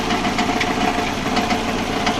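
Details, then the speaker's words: Subaru engine running: irregular sharp knocks over idle, a few per second, origin unclear; gearbox replaced four months earlier, owner suspects clutch rubbing something; replacement contract engine ordered. Cause not confirmed. "Вот этот стук непонятный."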